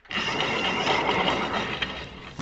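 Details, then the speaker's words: Electric motor before maintenance, running in reverse and stopping quickly: steady whirring with rough gritty rattle throughout, same noise as when the open cover was rotated; worn bearings needing replacement. "Pero hay ruido y eso Exactamente lo mismo que pasó cuando estábamos girando la tapa estando abierto"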